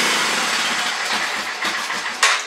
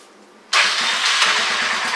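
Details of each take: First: Honda Fourtrax 300 ATV, sat in the weather for years, first start attempt after fixing fuel delivery (cleaned petcock and tank, new fuel line): cranking and sputtering, brief gap, then the single fires and runs ragged and uneven; idle screw adjustment noted. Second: Honda Fourtrax 300 ATV, left outside ~10 years with old gas, after cleaning petcock and filters: silence, then engine catches at once and settles into an even, steady run. Normal start; fuel delivery was the problem.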